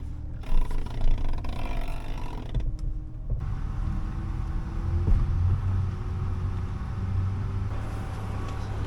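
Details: Mitsubishi Pajero steering column after applying WD40 or grease: steady low engine rumble while the wheel turns, with no squeak or creak; the earlier column noise at low and high speed when turning is fixed.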